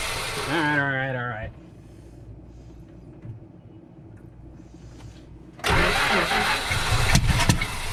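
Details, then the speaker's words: Crank no start on the 318 in a 1974 Dodge W200: it fired only when fuel was poured in, then cranks steadily without catching; no accelerator pump mist, float suspected stuck closed, fuel starvation. "when it cranks it doesn't sound like it the only time it fired was when i put fuel in it can't see the accelerator pumps no fuel you should see at least a mist coming out nothing nothing yeah it's not getting fuel yet"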